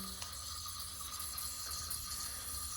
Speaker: water is leaking out, making that hissing sound. So you can try and replace the seal or just replace the whole thing.